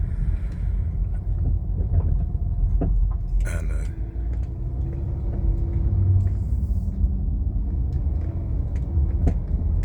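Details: 2013 Chrysler 200 driving over small bumps: sharp, irregular clicking and clacking from the front suspension over heavy road rumble. No noise in turns, so CV axle ruled out.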